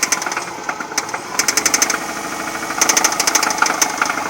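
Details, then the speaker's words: 2009 Subaru Forester Limited automatic, 2.5L SOHC PZEV, 101k miles, engine warm. Sharp tapping/knocking in popcorn-like bursts, worse at low rpm, smoothing at higher rpm; quiet when cold, louder after 20-30 s. Timing belt, water pump, tensioner and pulleys replaced; cause unknown. "but if you'll notice the knocking comes back and bursts and it has difficulties at lower rpm but other than that the car can drive normally it just sounds like a bit of a popcorn machine maker"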